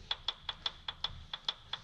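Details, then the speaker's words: Cadillac XLR Northstar V8 cam actuators reinstalled for a P0024 fix and bench-tested with a jumper wire to battery positive: crisp, evenly spaced clicks about five per second, normal actuator switching. "that one's working hopefully you can hear it and then down low we've got the actuator working there as well"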